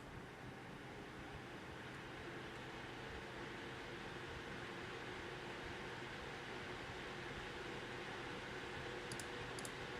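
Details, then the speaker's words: EVGA GTX 1080 FTW graphics card fans turned up to 78% full speed at idle: steady even whoosh, no grinding or rattle; the grinding heard under gaming load is not from the fans. "it all took turn it up to 78 you can hear there's no grinding sounder and had that with the fans they sound good full fan speed"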